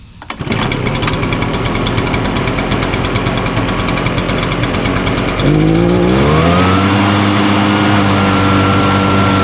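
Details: Echo PB-580T backpack blower, after a new recoil starter rope and new coil, run outdoors. It starts easily, idles evenly and revs cleanly to a steady high pitch with no misses; it runs normally.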